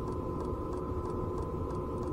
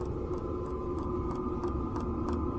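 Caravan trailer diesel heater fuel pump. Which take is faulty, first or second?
second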